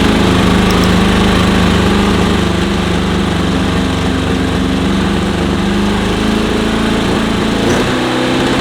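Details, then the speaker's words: VW sandrail with an air-cooled flat-four on first run after a dead battery: fast, busy idle sitting well above where it should; idle set too high, carbs need setting up. "I barely hit the button. The idle's way higher than it needs to be."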